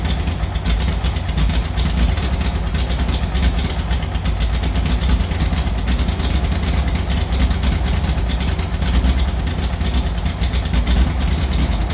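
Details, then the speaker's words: 1940s Oliver 70 tractor, first start in about 12 years, idling rough with an uneven, stumbling beat as one cylinder seems to skip; obvious misfire making carburetor tuning hard. Owner suspects the very old plug wires, points and condenser, needing an ignition tune-up. "well it's really hard to tune the carburetor when you have such an obvious misfire um I don't know I mean as you can see these buug wires are extremely old they should be replaced"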